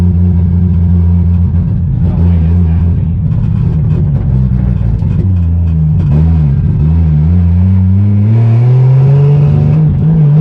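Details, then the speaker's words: 2JZ-swapped BMW E36 on a test drive: a loud, rough six-cylinder drone that stumbles and wavers, revs climbing unevenly, breaking up badly under acceleration. The owner suspects a bad MAF sensor; not confirmed. "okay so as you guys could tell the car was still breaking up really bad when we took it for the test drive so i'm still pretty sure the math is bad after testing it"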